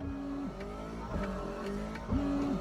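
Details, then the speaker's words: BMW 130i rear washer: a brief electric whine rises and cuts off with each press, so the pump runs, but no water sprays; the owner suspects a blocked valve in the rear washer jet (unconfirmed). "You can hear the pump working, so the pump is definitely doing its job. But I'm thinking it could just be a case of the valve on the washer jet."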